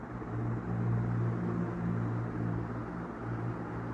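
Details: Newly installed Ventisol Zonda inverter ceiling fan, run at high speed (setting five): steady, low whooshing rumble of moving air with no ticking, rubbing or wobble; running smoothly.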